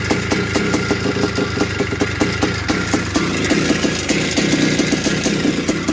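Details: 1981 Suzuki RM465 two-stroke barn find, first start after fuel poured down the plug: busy idle with a fast tinny rattle over each firing beat; owner suspects it needs a top end, heavy smoke suggests blown main seal, clutch side suspected.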